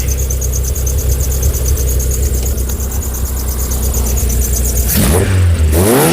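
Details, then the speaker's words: Skoda 120 16V (Rover K-series, CANEMS), all ECU map data re-entered and calibrations saved: deep even note, revs up smoothly without stumbling or popping; now revving properly, owner unsure if it was previously on the wrong map. "that that's actually revving prop now the out of Interest I wish it be could as a way of knowing if it was on the wrong map or what"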